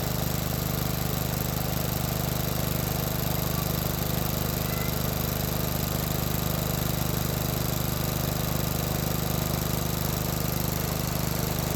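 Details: 30-year-old John Deere 165 Hydro lawn tractor with a newly fitted Cub Cadet muffler replacing the stock one, paint burning off: even, low engine beat at constant idle with no ticks, misses, exhaust rasp or leaks; normal running.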